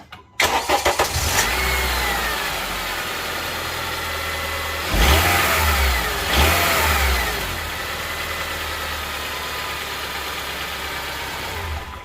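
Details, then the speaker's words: 2006-on Honda Civic 2.0L with a whining noise, started with the belt loosened so it no longer spins the AC compressor pulley: cranks, catches, blips twice, then a calm quiet idle with no whine; noisy AC compressor clutch bearing diagnosed. "Alright, so you can hear that it's so nice and quiet. That's supposed to be like that when you start that engine."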